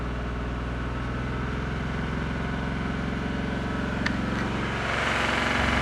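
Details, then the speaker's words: Geo car that bogs down on throttle and sounds like running on one cylinder: lumpy uneven idle, then rumble cuts out and engine dies when foot is lifted off gas; cause not determined. "see that I love my foot off the gas and it just dies"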